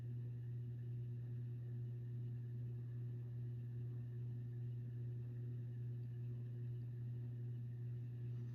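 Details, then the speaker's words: Kmart-labeled SMC U-42 42-inch ceiling fan, circa 1990, on medium about 150 RPM: quiet constant low motor hum with faint steady rumble underneath; typical motor hum and mild bearing noise. "these are not dead silent. Has an audible motor hum there. And it does have bearing noise, which is typical."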